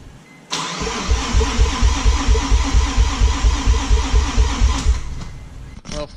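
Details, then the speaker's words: Mazda RX-7 FD rotary cranks with steady even starter pulses about twice a second for four seconds but never catches. Owner blew a seal turning it over by hand, fears engine damage, and will change all four plugs though he doubts they are the cause. "all right well looks like I'm going to stay working on this I'm gonna change these plugs see if I can get the fire up"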